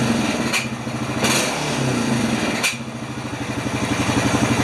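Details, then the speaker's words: Honda Rancher 420 ATV after sitting over a year, now on premium fuel: lumpy idle with throttle snaps where revs hang and settle slowly; this is before cleaning a gunked throttle body, after which it snapped back instantly. "throttle snap yeah you see it's a little slow"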